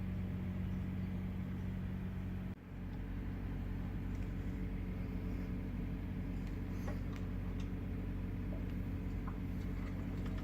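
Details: 2017 Ford Fiesta driving after replacing a broken upper strut mount: steady low rumble with no knocks or clunks from the front suspension over bumps.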